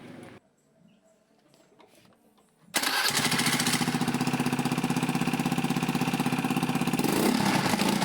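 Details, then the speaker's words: Honda Beat FI scooter that hesitated when revved, after a new fuel pump (40 psi), started without ECU reset: cranks, catches at once and settles into a smooth, even beat, no stumble; fuel pressure holds about 40 psi, now normal. "ternyata sudah normal ya teman-teman saat mesin hiup pun tekanan pulp dia masih tetap di angka 40-an"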